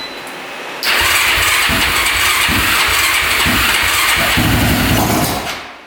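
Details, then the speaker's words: Newly traded ATV jump-started on a dead battery with choke on: catches, revs with uneven, lumpy pulses and dies after about five seconds. Very hard starting and rough running. "all right yeah you can kind of hear it no how are you doing something a little rough um it definitely needs to choke out to even be close to starting so it's really really hard starting and um yeah it's not sounding the greatest"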